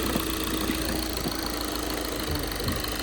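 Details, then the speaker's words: 2012 VW Jetta TDI diesel started right up on a jump box: even, light diesel clatter at a steady idle with outdoor background. It sounds like a normal diesel idle. "Started right up with the jump. It is the diesel as you can hear."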